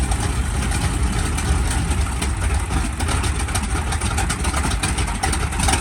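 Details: SB2C Helldiver radial engine on its first test run after an engine replacement, October 3, 2024: a deep, steady low rumble with an even beat and no misses or knocks; it runs smoothly and sounds healthy.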